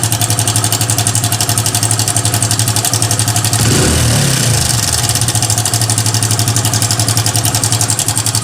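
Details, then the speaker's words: Hero Passion Xpro i3s motorcycle: fast metallic chatter at idle, about four per second, growing with a throttle blip; timing chain rattle. "इस तरह का sound है और इसका sound जो है हमारा टाइमिंग चैन से है दोस्तों यहां पर दिखा दे आपको टाइमिंग चैन में हमारा इशू है"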